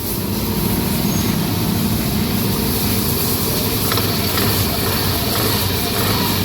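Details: Yamaha NMAX CVT scooter that had made a noise when standing at idle, gone when throttled; after replacing the crankshaft seal and with the engine light off, it gives a smooth, even drone with no squeal or chirp.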